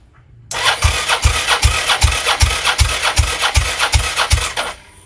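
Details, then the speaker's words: Suzuki SV650S V-twin, plugs out, cranking compression test with manual 300 gauge: front cylinder settles about 185 psi despite slight leak at gauge connection; starter spins evenly, about eleven equal pulses in four seconds, no weak stroke; healthy compression. "one okay so this one is a little bit dodgy kind of leaks a bit but it sort of settled about 185 so so that makes me feel a lot better"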